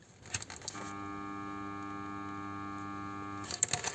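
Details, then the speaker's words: BMW E60 locked with ignition off: steady buzzing hum when the idle control valve connector is plugged in, as terminal 15 stays powered (codes 29AF, 299D), because the intelligent battery sensor (IBS) was damaged by water from the trunk ventilation, draining the battery. "vuelve a estar con el sonido por tenersión continua lo voy a dejar desconectado porque así por lo menos le quitamos ese consumo y ese ruido que nos está chicharrando la cabeza"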